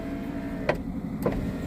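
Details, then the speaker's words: Daimler, rear passenger power window that had only clicked now working: steady low motor whir with a couple of sharp clicks as it runs up and down; power window operating normally like the others. "Okay, so that window is going up and down like a good 'un. As do the other ones."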